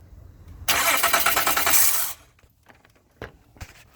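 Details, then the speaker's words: 2013 Honda Odyssey being cranked during a compression test after a misfire complaint, with one spark plug out and the throttle closed: about 1.5 s of harsh, even cranking pulses with an unidentified odd noise. "I don't know what that noise was all right clear this off try it again I don't see anything wrong with that"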